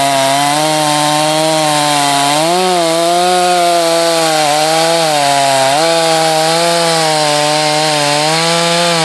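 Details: Hot test cut in hardwood, likely the not-yet-broken-in Husqvarna 254, compared with a 562 and a salvaged strong-running 51. A high, steady two-stroke scream dips slightly as it bites and recovers quickly: a strong, healthy saw.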